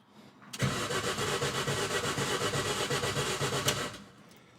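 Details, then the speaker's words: Mini Cooper with freshly rebuilt engine back in the car, cranked on the starter with everything disconnected, not meant to start, only turning over to build oil pressure; steady rhythmic cranking about four pulses a second, never catches, healthy turnover. "now the exercise of this is not to start it because everything's disconnected but just turn it over and build oil pressure"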